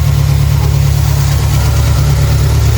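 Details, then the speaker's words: Renault 5 after fuel pump replacement and new spark plugs, first run: starts easily and holds a deep, even idle hum with no knocks or stumbles; normal idle. "it's on it's running the car starts with ease [Music] start of ease idles nicely it's running nicely now"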